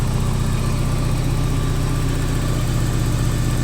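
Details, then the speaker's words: 1984 Porsche 944 NA, idling at 900 rpm with 4.5 bar oil pressure, wideband O2 fitted and decent fuel pressure: steady, even idle with smooth low drone, no knocks or misses; idling really well, normal. "right now it's idling really well uh 4 and 1 half bar of oil pressure 900 RPM"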